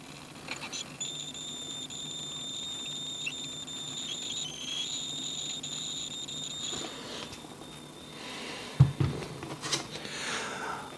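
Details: WEI lithium portable power supply on its second charge: a steady, piercing high whistle over a faint low hum keeps going with no power input; the unit is hot and the fans are not running. Cause unknown, fire risk feared.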